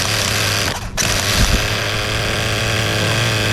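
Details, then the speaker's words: Kasemo Fotia nitro RC car engine on fifth and final break-in tank, about 2.5 hours total: loud, steady, even buzz with no shrill edge or stumbling; properly broken-in engine running smoothly. "ถ้าฟังเสียงลองฟังดูนะเก่งมันจะนุ่มเลยครับเก่งรถมันจะนุ่มมันจะไม่แน่มันจะเสียมันจะไม่ออกแหลม"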